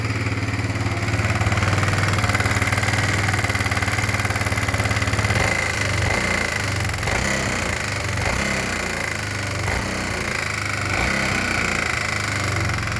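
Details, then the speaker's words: Kawasaki Bayou 250 ATV single-cylinder idling with a sharp, rapid metallic knock every few beats; not carbon, valves checked fine and cam chain tight; owner suspects worn piston wrist pin or bushing, unconfirmed. "a buddy of mine gave me this Kawasaki 250 by you and I cranked it up a bro date and all but it's got a bad knock in the engine"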